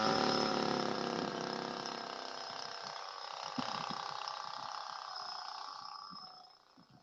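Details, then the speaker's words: Go-Ped two-stroke scooter with carburetor and fuel line problems, fitted with an eBay kit: buzzy note sags in pitch and volume, then sputters out, dying again after briefly running right; cause unknown. "I was riding it make a jump ramp get it running first running right it died on me again"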